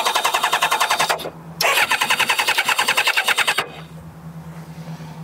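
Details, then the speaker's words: Kawasaki ZZR600 that starts only sometimes: steady fast starter cranking in two bursts with even compression pulses, never fires. Plug checks show nothing on cylinders 2 and 3; no spark suspected as the root cause. Cranks but no start. "We're not. I don't think we're getting spark."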